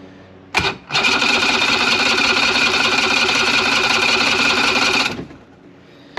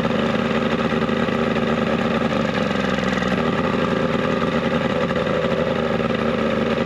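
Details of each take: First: 70HP two-stroke Mercury outboard on a 1967 Duo boat, choked, before carb cleaning: about four seconds of fast, even cranking with no firing; primer bulb firm, plugged carburetors starving it of fuel. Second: 70 hp two-stroke Mercury outboard on a 1967 Duo boat, carbs cleaned, run on choke with old impeller left in place, running a little warm; even buzzy drone holding steady without sputters or cutting out; normal running.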